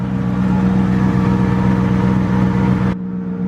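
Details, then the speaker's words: BMW E34 540 with ZF 5-speed manual, after transmission job, gearbox had run with no fluid, on lift without exhaust: steady low whine over idle that fades when clutch is pressed; gear whine from worn gears. "i put the car from the air with no exhaust went through the gears sounded kind of whiny but now you guys can probably hear right now if you get down here"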